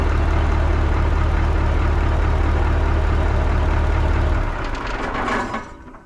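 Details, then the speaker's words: 1980 Peterbilt 359 EXHD with Caterpillar 3408 diesel, left sitting for years; steady, even low idle with a regular beat, no knocks or misses for four seconds, then shut down. "Holy shit, fellas. It just lights right off. hella sketchy. I can't believe the damn thing runs, dude."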